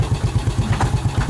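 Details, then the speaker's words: Yamaha Vega ZR single-cylinder after piston and camshaft rebuild: steady idle with dull regular knock per beat from the clutch housing side; suspected worn clutch housing rubbers. "Tapi yang sini yang bunyi nih, bunyi agak sedikit glok."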